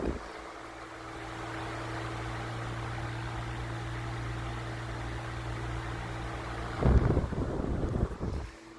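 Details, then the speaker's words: 1988 Galaxy 2151 16-inch table fan, made in Texas, recently re-oiled (whine reduced, bearings likely gummed up), on medium speed (thought to be low), drawing 0.6 A, 71 W: steady low motor hum and even air rush, no bearing whine; normal running. "I don't know if you can hear the wind stream, but the velocity of this thing is just phenomenal. It's just on low speed."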